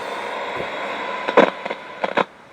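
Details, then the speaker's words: Sansai clock radio on FM: radio hiss broken by sharp bursts of crackle as the volume knob turns; dirty, crackly volume potentiometer, a common fault on these. "Now the radio itself, the only thing that really goes wrong with these is that the volumes are very crackly."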